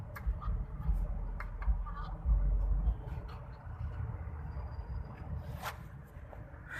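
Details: 2013 VW Passat idling with a low rumble and an irregular, loose rattle from the pulley side; a worn water pump is suspected, not confirmed.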